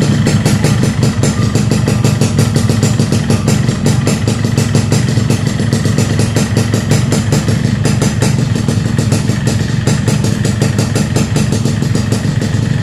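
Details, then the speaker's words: Yamaha RX King two-stroke block at idle after the piston was heated and pressed oversize to cure piston slap; the harsh rapid clatter over the low beat is quieter but still audible: piston slap reduced. "lumayan suaranya Udah gak sedikit berubah agak mengecil"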